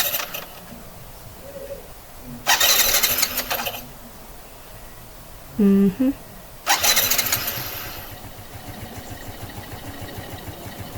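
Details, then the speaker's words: Suzuki Smash 115 underbone motorcycle, electric start button after sitting 4–5 days during a typhoon, before spark plug removal: two bursts of starter cranking that never catch; hard starting after long rest, not so when new. "So, hindi siya umaandar ng ganun-ganun lang. Pag matagal na nagpahinga."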